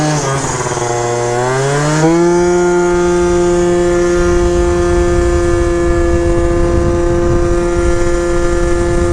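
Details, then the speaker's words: Piaggio Typhoon scooter after carburetor upgrade, climbing a hill: engine note rises then hangs flat and muffled under load, not revving high; running rich, lighter rollers and stiffer contra spring suggested. "We're going up a hill right now. I don't know how fast we're going, but it doesn't seem like it's revving too high. Yeah, she's running rich right now."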